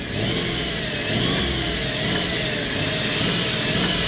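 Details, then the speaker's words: 1997 Dodge Caravan LE after rod and main bearing replacement, engine revving with a lumpy uneven beat and occasional pops, running on five cylinders with one plug wire missing; misfire and possibly some backfiring on that cylinder. "that might be a bit of backfiring cuz I'm missing a plug [Music] wire that Run's pretty good for running on five"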